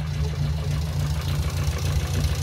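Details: Petrol engine, known to tick slightly even when healthy, clacking at start-up; owner suspects hydraulic lifters, idling ten minutes after chemical cleaner was added to the oil, fast light clacking over low hum, seemingly worse than before.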